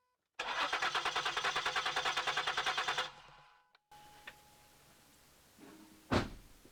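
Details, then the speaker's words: Ford Flex crank, no start: steady starter cranking about three turns a second that never catches. No fuel pressure when cranked. The fuel pump relay / driver module is named as the most common cause on this model. "No fuel pressure. There should have been fuel spraying out of that like crazy."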